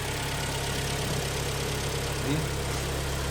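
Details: Rebuilt engine of a 2013 premium-trim car, about 140,000 km, after overhaul with machined parts: smooth, even idle with a steady low hum and no knocking or misfire; sounds healthy.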